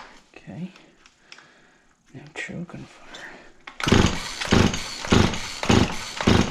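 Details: Auction-bought Husqvarna 36 chainsaw with 16-inch bar, cranked on choke: rapid pull-cord bursts about every half second, coughing but never catching. A hard start; spark was later confirmed.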